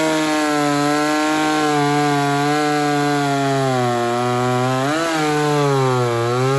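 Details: Ported Homelite Super XL-130 chainsaw on its final test run after the loose, self-turning idle screw was sorted: clean, steady high two-stroke scream sags slightly into the wood and recovers; normal running under load.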